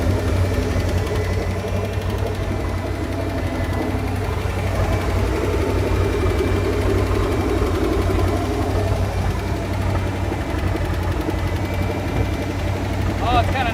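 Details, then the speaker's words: 1968 Plymouth Fury, 318 V8 with one-barrel carburetor, barn-stored and not run in decades: rough, loose idle with a quick, light ticking steady with engine speed over the low rumble; owner suspects a noisy lifter. "I'm gonna say a lifter sure sounds like it I hope so"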